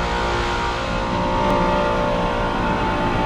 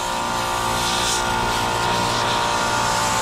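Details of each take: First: Multistack modular chiller after brazing a broken copper pipe leak on a circuit found at 0 PSIG and recharging to 12 lb: steady compressor hum, smooth drone, brief rising sweep; no leaks, running normally. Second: Multistack modular chiller, circuit one found at 0 psi and charged with nitrogen from the high side for leak search: loud steady hiss of gas rushing out at a broken copper pigtail fitting; large refrigerant leak, to be brazed.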